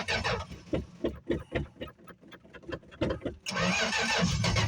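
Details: 1965 Plymouth Barracuda six-cylinder, cold start after sitting about a month, on choke: catches in uneven bursts, sputtering and fading between cranks before a brief rough run; fuel starvation.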